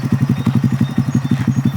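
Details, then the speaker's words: Honda Grom being revived after a side crash, front wheel and fairings to replace; even, steady thumping about eight beats a second, no knocks or misses; smooth, healthy normal idle. "Let me crank it up for y'all to hear it. This sounds good. It's a fine ass bike."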